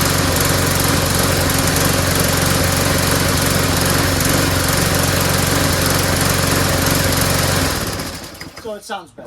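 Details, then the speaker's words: Small single-cylinder lawnmower after refilling with fresh gas: an even, steady drone at constant speed with no stumbling or surging, seeming more powerful, then a clean shutdown. "and it seems more powerful too all right that's it that's all I'm messing with"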